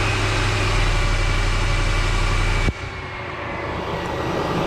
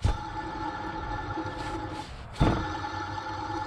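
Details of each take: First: 2003 Ford F-150 4.6L V8 after replacing a noisy idler pulley bearing, idling smooth and steady with no squeal, chirp or bearing growl from the belt drive; the pulley noise is gone, normal idle. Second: 2003 Ford F-150 4.6L at idle with the belt off the alternator: a steady whirring tone from a worn idler pulley bearing; noise gone after replacing the idler pulley.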